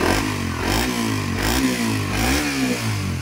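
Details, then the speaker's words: Suzuki Raider 150 Fi after basic maintenance (PMS) and FI reset: revs rise and fall cleanly with crisp throttle response and even firing, no misses or rattles; healthy engine. "So nag-aggressive yung unit niya mga paps, no? Gawa ng bago lahat, no? Unit."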